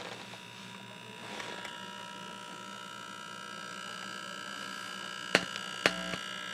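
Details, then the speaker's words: Scott tube amplifier on the bench, power transformer: steady low buzz under a thin high whine, then two sharp clicks. The transformer groans now and then. "This transformer has a tendency to groan once in a while, but the running amperage"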